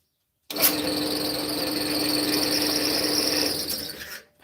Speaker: quite noisy isn't it yeah the pulleys are it needs a new belt in it